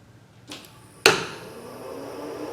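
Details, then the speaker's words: KEB F4 drive fed 380 V AC three-phase, after repair of pre-charge contactor that would not energize: single sharp clunk at power-up, then steady fan hum; pre-charge contactor pulling in normally. "there you go you hear that contactor come in did you see it come in sweet"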